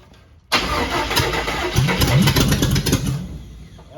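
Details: Cab-over van engine after carburetor work, with backfiring while starting: catches after cranking and runs a few seconds with uneven, lumpy firing that fades; still running rough.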